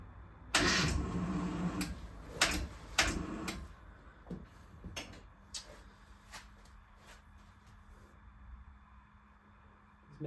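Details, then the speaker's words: 1979 Austin Mini Clubman, oil level a bit high, out of gear: a few labored, uneven starter groans in short bursts that fade without firing, engine turning over sluggishly; owner suspects a flat battery, considering jump leads to the starter. "right it would suggest that there's no battery cuz that's struggling to crank over"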